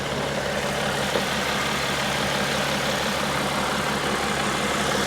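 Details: 2012 BMW X5 3.0 diesel AWD after the EGR cooler repair, no fault codes, warmed up after a 10-mile drive at 65 mph, cooling system holding pressure: quiet, even idle with a soft steady clatter. Healthy.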